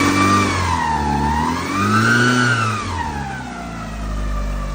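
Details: Mitsubishi Lancer Evolution V 4G63 after timing belt and pulley replacement: surging whine rising and falling with revs; overtight balance shaft belt or mismatched belt tooth profile suspected.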